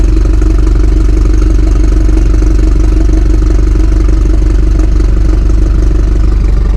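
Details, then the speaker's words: 2018 BMW 430i Gran Coupe (F36) with B48 four-cylinder, modified: cold start idle, deep even exhaust burble with a "little tractor" sound, steady and regular with no knocks; normal, healthy cold start idle. "so yeah man that's what she sounds like in a cold start um it's not crazy but she sounds good bro like for real for four banger she sounds good"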